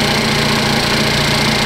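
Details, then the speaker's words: 2015 Cadillac ATS 2.5L GDI junkyard replacement engine, first start after swap, cold: smooth steady idle with only a light, even injector tick and no knocks, rattles or abnormal ticking; engine sounds healthy. "This one sounds good. You can hear all the injectors, so if it's picking up some abnormal, ticking sounds. That's all I hear. I hear the injectors. The engine seems to run really smooth."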